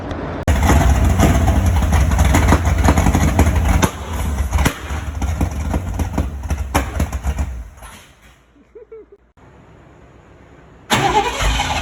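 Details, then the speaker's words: 1973 Ford Mustang V8 after fitting single-wire distributor, new plug wires, spark plugs and carburetor; catches quickly and settles into deep even idle with throttle blips; now runs good; normal start and idle. "sounds good single wire distributor plug wires new spark plug and carburetor now she runs good"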